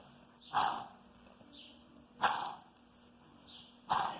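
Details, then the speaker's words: Old washing machine transmission turned over during replacement: harsh squeaky rasps about every second and a half from a worn bearing; the whole transmission is replaced, as the new one comes with the bearing. "that noise there will be real loud when it's spinning and it will sound nakedly water that's the old transmission so you got to replace the transmission because the bearing comes with this new transmission"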